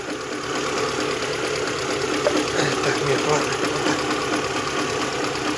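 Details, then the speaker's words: VAZ 2112 16-valve petrol engine idling with a fast uneven knock, earlier ticking; knock drops when spark plug leads are pulled, owner suspects bearing shells or piston pin, not confirmed. "Слышим, что звук пропал. Это значит, что у нас стучит либо вкладыши, либо, не знаю, палец, что ли."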